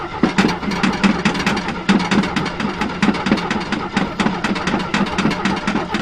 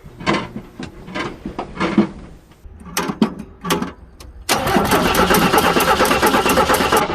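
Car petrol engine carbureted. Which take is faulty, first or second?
first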